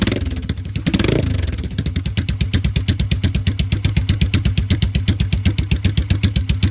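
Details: 1986 Yamaha XV750 Virago V-twin, debaffled straight pipes just fitted with lollipop baffles: catches after a brief crank and settles into an even, deep idle of about four pulses a second, running clean; normal start-up.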